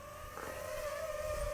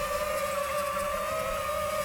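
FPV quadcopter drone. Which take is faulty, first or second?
second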